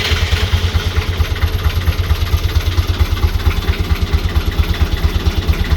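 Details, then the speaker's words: Boat BMC 1.8 marine diesel, just after owner's first service, started after glow-plug preheat (battery dropping from 12 to about 10 V): deep, even idle knock at a steady pace with no misses or rattles; normal diesel idle. "isn't that bloody awesome oh i love it i love the sound of it and you know give it a few revs"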